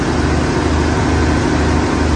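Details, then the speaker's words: 1980 Ford F100 idling after replacing broken alternator belt and squeaking power steering belt: steady low rumble, no squeal or chirp; first time without belt noise, normal idle. "The first time since I've owned this truck, I don't have any belt noise. The alternator belt broke, power steering belt was squeaking, AC belt was squeaking, but now it's good."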